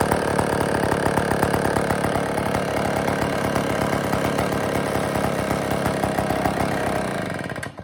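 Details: IEL Pioneer HM chainsaw after fuel system work (new tank fuel lines, gaskets, carb screws tightened): fast crisp two-stroke crackle holding an even idle several seconds before dying; normal idle.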